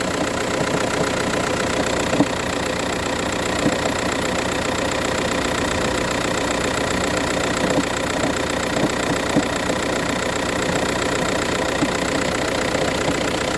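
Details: VW Touran 1.9 TDI cold start, morning only: diesel idle clatter with irregular light knock about two to three per second; no issues when driving or changing gears; cause not evident.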